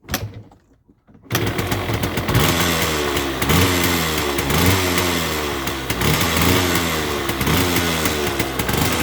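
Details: 1979 Yamaha DT175 Enduro two-stroke with oil injection, hard starting, won't go into gear, howling noise: raspy buzz surging and sagging, never revving cleanly; owner suspects right crankcase seal and O-ring as smoking increases, clutch also suspected.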